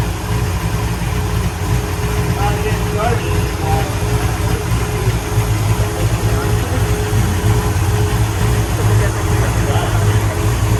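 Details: 1966 Pontiac GTO convertible V8: deep, even rumble holding steady with no misses or knocks; engine sounds healthy and smooth.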